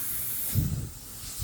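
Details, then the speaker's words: Badger 105 Patriot airbrush on compressor: constant airy hiss with trigger released, air won't shut off; air valve stuck open. "I wish you could hear it but see I'm not touching it and the air is coming"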